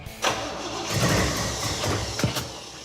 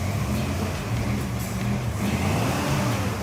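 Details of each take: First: 1973 El Camino with GM performance 454 big-block crate engine, four-speed, bad cam suspected: catches after a short crank and runs lumpy and uneven with stumbles; ignition timing far off despite added advance. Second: 1973 El Camino with a freshly rebuilt 454 big-block and a big lumpy "thumper" cam, after a new ballast resistor was fitted: a deep, lumpy V8 idle with a steady rhythm, no misses, knocks or exhaust leaks. Normal idle.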